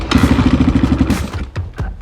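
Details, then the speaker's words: Honda XR200 that just died: repeated kick-start thumps with a brief rapid clatter as it turns over, but it never catches; the tank is out of gas. "no it's like it has no gas because it doesn't have any gas that's understandable why it turned off then"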